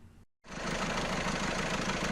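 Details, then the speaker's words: Newly installed 1.6 HDi diesel, fresh oil, first run: steady idle with a dry, constant metallic rattle over the top; owner unsure whether it is the camshaft chain or the tappets. The cam-to-cam chain is rattling. "كي خدمناه ظهر فيه الحس هذا. فما شكون قال لنا حس الشان الحديد اللي يدور الاربراكام والفيلبروكا، وفما شكون قال لنا الحس هذا بتاع بسوارات."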